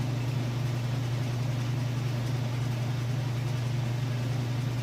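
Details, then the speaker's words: Kenmore top-load washer, final spin with heavy jeans and towel load: steady low hum with gentle pulsing about three or four beats a second, no knocking or scraping; spin healthy. "So we'll come back when it's done with that spin cycle. Alright, here we go into that final spin cycle."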